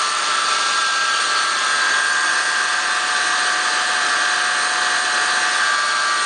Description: There is a whining noise coming under the hood in this toyota 4runner 2003 V6 1GR engine.